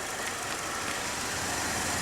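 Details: 2011 Chevy Malibu after fixing an intermittent stumble and stall caused by an internal break in the injector wiring: even, steady idle with no stumbles, misses or dropouts, and no codes.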